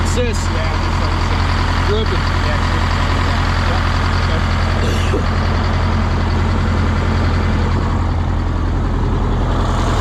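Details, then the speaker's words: 1977 MCI coach with 8V71N Detroit two-stroke diesel after freeing three stuck injectors that caused a runaway: steady low rumble at idle, smooth and regular with brief air hisses as air builds; warming up; normal idle. "she's a runner [ __ ] let her run let it warm up"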